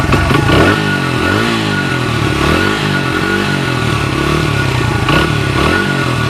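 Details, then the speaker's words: 1994 Honda XR100R single after a carburetor rebuild, warmed up and nearly out of gas: steady popping with throttle blips that rise and fall cleanly, no misfire, no smoke. It runs healthy. "But you guys could see it's been warmed up. Not getting any smoke out of it. It's looking real good."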